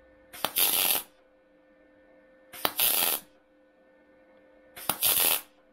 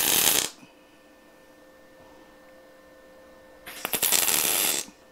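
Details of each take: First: MIG welding body sheet metal, butt-joint spot welds at 60 A, 16.5 V, inductance 3: three short harsh spattery crackling bursts about two seconds apart, beads domed, large and high; inductance set too low. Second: MIG spot welding thin car body sheet butt joint at 60 A, 17.5 V, inductance 4 (up from 16.5 V, inductance 3): two short bursts of crisp even frying crackle; steady arc, clean spot welds.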